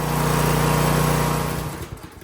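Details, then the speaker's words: Briggs & Stratton V-twin on a John Deere mower (LA165/LA135 type), after bending the governor tab to fix a high idle: smooth, steady full-throttle hum at the target 36 on the tachometer, then revs wind down; normal governed full speed. "So, we want 36. That's pretty damn close. I'm going to leave it right there."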